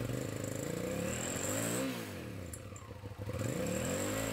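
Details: 2006 Hyosung GT650S V-twin after carburettor cleaning: crisp revs with pitch climbing and falling cleanly, now firing on both cylinders with no misses or popping.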